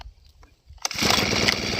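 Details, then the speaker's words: Two-stroke brush cutter run until the tank was empty, then refuelled: fires after a pause and holds a buzzy low run without climbing; air in the fuel system starves it, so it won't rev and dies when throttled. "เวลาเราเร่งไปมันดับนะครับเพราะว่ามันมีอากาศในระบบมันนะครับมันก็จะทำให้ให้ช่วงที่มีอากาศมันก็จะไม่น้ำมันก็จะไม่จ่ายเข้าก็เล็กไม่ขึ้นนะครับ"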